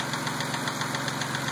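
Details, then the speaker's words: Mazda idling after a dealer lifter job: sharp, even ticking about seven per second over steady idle, louder once warm, absent before the repair; source not yet determined. "That's what it sounds like after I got the car back from the Mazda dealer. Once it warms up, it gets louder. It wasn't like that before."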